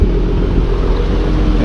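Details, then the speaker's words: First start after installing upper and lower intake manifolds, an 80mm throttle body and new coil packs, hot day with AC on: deep, steady, even idle rumble with nothing irregular or knocking; sounds good. "sounds good sounds like we couldn't stay getting close to our goal"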